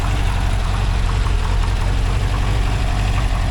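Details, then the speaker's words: 1982 air-cooled VW Vanagon Westfalia flat-four, warm at idle after a short drive, mid-restoration: deep, even chuffing idle with a steady low rumble and no knocks or misses. Valve covers measured about 85 degrees afterward. Normal idle. "I think it sounds like a Volkswagen doesn't it"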